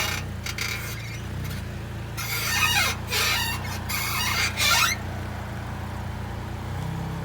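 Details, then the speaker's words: Honda/Acura: rasping, creaky squeaks in short bursts over road hum, heard over potholes while driving. A dry lower ball joint is suspected rather than the shocks; not confirmed. "if you hear that noise nine nine times out of ten is the ball joint the bottom ball joint a lot of people think it's the shocks"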